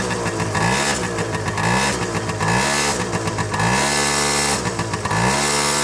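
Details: Honda Tact AF24 scooter, cold, smoking heavily since the knock began: revs rise and fall repeatedly with a hard, rattly knock through each blip; engine knock, owner unsure of the cause.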